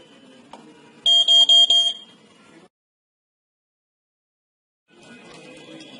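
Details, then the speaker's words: Wireless smoke alarm from a smart home system, just after its battery is fitted: pressing the button gives four short, shrill beeps in a quick burst, then quiet, signalling the detector is ready. "Push the button and it will make a noise indicating that the device is ready."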